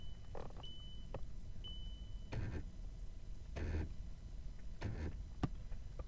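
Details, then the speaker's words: VW A5 passenger door lock actuator with intermittent operation, microphone held close to the door: short whirring gear bursts inside the door as the lock sticks and fails to lock cleanly, pointing to a faulty actuator gear. "so I can hear the gear turning now it now it just did and it's probably going to unlock again yeah it's stuck again I can hear the gear"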